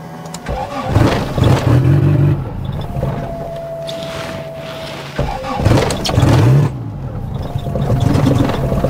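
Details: 1991 Honda Civic EF, B18 swap with turbo, started cold with a wet ECU: two rough cranking bursts, each catching briefly then stumbling with uneven firing before dying back; a hard start that barely runs.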